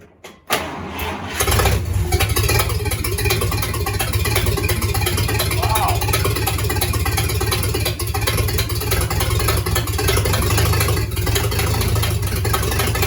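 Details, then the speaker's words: Rebuilt 1953 Dodge 228 ci flathead bored to 237 ci, first start, no exhaust hooked up, battery not fully charged, dwell 38–40: starter turns briefly, engine catches at once and settles into a steady, even low idle with no knocks or misses. "Keys off? That's it. First time it's ran, and it even idles. Yeah, it even idles. And the battery's not even fully charged."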